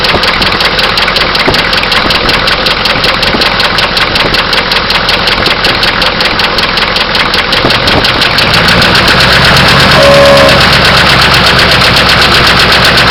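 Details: Oldsmobile diesel idling: hard regular knock about three raps a second over the clatter; owner suspects a bearing knock or an injector.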